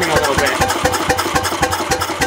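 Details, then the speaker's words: Bessemer engine on its first test start with no muffler; sharp, loud exhaust cracks about four per second over a slow thump, timing still needing fine-tuning. "That thing's a fire breather, man. Yeah. Fine-tune the timing and find a muffler. Make a muffler. Yeah, make a muffler for this one."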